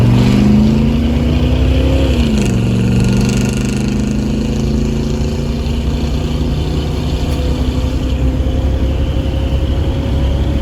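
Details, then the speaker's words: 1977 Chevy C20 big-block truck accelerating on the freeway after its timing was adjusted by ear by turning the distributor, to cure a miss: the note climbs smoothly, dips at the upshift, then holds a strong drone with no pinging or stumble. Normal acceleration. "oh that's so much better man i can't even tell you that it's just there right there"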